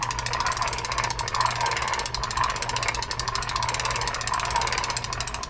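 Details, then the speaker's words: Vintage fishing reel turned by hand: rapid gritty clicking and rough rasping from a rusted, pitted steel ball bearing that needs replacing. "the problem that you have with steel bearings is that they rust as they rust they pit and as they pit they become more noisy and less operable and here's an example of that"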